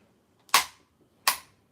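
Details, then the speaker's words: Front differential of an OFNA nitro RC truggy (Novarossi engine) turned by hand the other direction: two sharp dry clicks about three-quarters of a second apart, stripped gear teeth skipping. "You see that? It's a strip job. I'm going to go the other way now."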